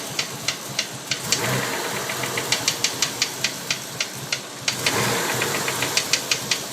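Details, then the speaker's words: 1992 Mitsubishi 3000GT VR4 at idle after 8–9 minutes of warmup, after a fuel filter and oil change: sharp metallic ticks about four a second with black smoke from the tailpipe; knock seems near cylinder 6, timing belt somewhat loose, cause unknown. "Okay, wow. We developed a lot of smoke out the back when we started the knocking sound. It sounds to me like the knocking sound is back."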